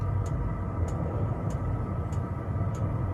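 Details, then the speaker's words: Cheap Chinese diesel heater mounted under a van on a plate, fed with diesel straight from the tank: steady low roar with a soft even fuel-pump tick about every 0.6 seconds. The heater is burning normally. "You can hear it now roaring away."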